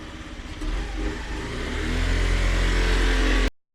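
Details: Honda NSC 50R moped left unused for a couple of months, test run after charging its flat battery with a CTEK charger: the small engine idles briefly, then revs up smoothly and holds steady before cutting off; starts and runs normally.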